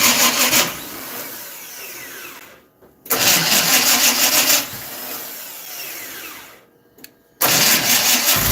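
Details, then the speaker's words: Dirt track race car with timing just adjusted near top dead center: two strained cranking bursts of about three seconds, engine turning slowly, only about three revolutions, never catching; slow cranking, no start. "Your starter don't crank but 3 revolutions."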